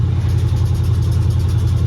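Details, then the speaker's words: 1986 Chevrolet C10 Suburban small-block V8, possibly a replacement or crate engine, unknown mileage: steady deep idle with a fast, light ticking rattle keeping pace with the engine; owner suspects lifter tick, exhaust manifold broken, unconfirmed. "so somebody would say hey this has got a lifter taking it you hear that lifter tick well that engine is not it's blown up it's it's got a tick and lifter"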